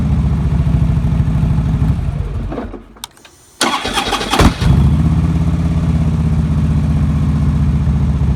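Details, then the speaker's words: 2009 Harley-Davidson Road King after starter clutch replacement: clean crank and start settling into even V-twin idle with no metallic clash; normal start and idle, far better than the earlier horrible starter noise. "Wow, that sounds pretty good. So far, that's 100 times better than it sounded."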